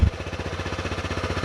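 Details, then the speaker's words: Used motorcycle with 2,865 miles, started in neutral with clutch pulled in, started right away: quick even exhaust pulses about sixteen per second, no knocks or misses; smooth, healthy idle. "This one started right up. You can hear it's smooth. It's running perfectly."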